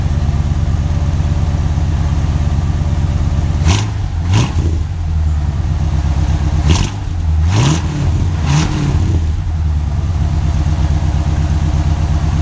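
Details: 1968 Chevrolet Impala V8 after fitting dual exhaust and adjusting the valves to quiet ticking lifters: deep, even burble with quick throttle blips that rise and settle cleanly, valvetrain now quiet; normal idle.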